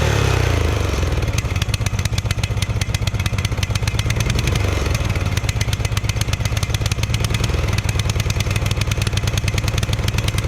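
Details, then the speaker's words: Murray ride-on lawn mower, sat 1–2 years, gasoline sprayed in: loud, uneven chugging with ragged firing and no steady idle; choke stuck on and hard to move, throttle stuck wide open, so it runs very rough. "Okay, so the choke was flipped on, and it's very hard to push for some reason. So that's why it was running real bad. And then it was stuck wide open, so it was running even worse."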